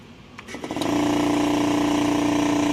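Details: Appliance motor after replacing its power plug: a brief whirring spin-up, then a clean, steady hum with no rattle or stutter; running normally.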